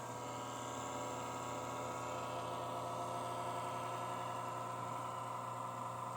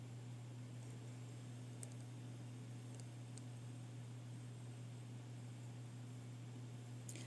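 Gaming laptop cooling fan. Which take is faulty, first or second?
first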